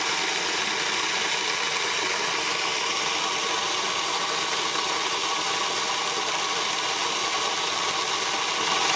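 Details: Moulins d'Alma individual stone mill grinding grain for wholemeal flour after sieving out straw particles: steady even grinding hiss from the stones, no knocks or catches; normal grain milling.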